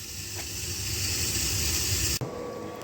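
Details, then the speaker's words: Kinetico water softener on its first manual regen, dial advanced by hand, before the resin change: a steady loud water hiss through the valve, then a sudden cut to quieter flow as the dial advances, a normal regeneration cycle. "So that's our first manual regen. We'll let it go right around, and it'll stop over here."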